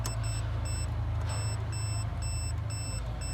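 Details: 2008 Pontiac Grand Prix with a no-crank condition: meter gives repeated high-pitched continuity beeps over a low hum while checking the green data wire at the PCM connector, showing the wire is good.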